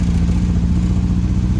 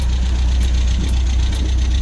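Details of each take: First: 1974 MGB with SU HIF4 carburettor, sent the wrong needle float: loud, lumpy low-pitched running with an uneven clattery beat; floats and needles seemed fine, but the float height was far too low, starving the engine of fuel. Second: 1974 MG MGB with SU HIF4 carburettors after replacing a wrong float needle: deep, steady low rumble with an even beat, no stumbling or choking; engine running and idling smoothly again.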